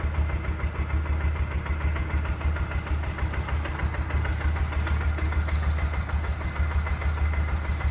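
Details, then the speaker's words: 2004 Polaris Ranger 6x6 UTV after head gasket replacement (cheap gasket): steady, even idle pulsing about three times a second, low and smooth, no knock now; idling good, normal idle. "Oh, she's idling good. That's a good sign."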